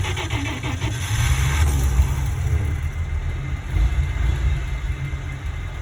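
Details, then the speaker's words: Warm vintage carbureted engine at about 180° with slight fuel percolation wetting the intake manifold: brief cranking, then catches quickly and settles into an even low idle without stumbling; normal hot start. "Started pretty well, actually."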